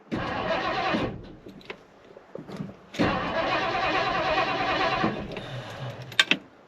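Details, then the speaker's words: 1959 Edsel Ranger, 361 Super Express V8, sitting for years: two long stretches of even cranking about three beats a second, never catches; owner suspects fuel pump not running. "But I'm guessing that fuel pump's not running. Maybe we try to pour a little fuel in it and see if it'll bark off."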